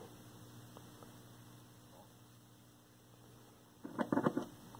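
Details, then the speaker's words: 1932 Aztec cathedral radio after clearing a short, solid-state rectifier, B voltage about 80 V on a variac: steady low mains hum from the speaker with a few clicks, no reception; tubes not yet checked. "no crackle no sign of life no nothing I can hear the speaker humming away static"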